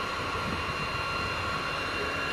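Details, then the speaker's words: Cisco Catalyst 3560-X switch that won't power on or boot, with no lights: loud, abnormal steady fan roar with fixed whistling tones from the power supply fan, blamed on a failed power supply. "so the power supply fund makes a lot of noise so let's log in let's see and the switch doesn't power you can hear the noise that is coming from the fan which is this is not normal"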